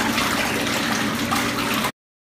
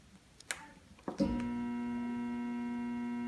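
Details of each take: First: Jacuzzi tub jet pump that only hummed because its motor was hung up, now freed and working: a steady rush of water over an even motor hum with no buzzing or stalling. Normal pump running after the fix. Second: Jacuzzi tub jet pump motor with the breaker on and the GFCI showing a green light: a steady electrical hum for about five seconds with no spin-up, as the seized motor stalls.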